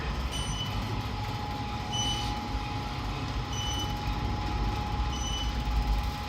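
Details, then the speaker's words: Aritco platform lift, installed or made 2021, three floors, riding: short high beeps about every 1.5 seconds over steady motor hum throughout travel; beeping seems unintended, possibly a glitch, cause unclear. "it just beeping to say that you're pressing and holding and going down no it's annoying eating sound"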